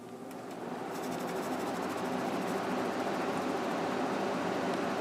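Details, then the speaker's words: Emerson Quiet Kool 6300 BTU air conditioner, reassembled with replacement GE fan motor (old one had bad bearing) and correct bigger capacitor, fan only on high: soft even whoosh, faint steady hum, no rumble; a brief unexplained rumble noted. "nice and quiet there was a little bit of a rumble there I don't know what that was but yeah it's running nice and quiet now"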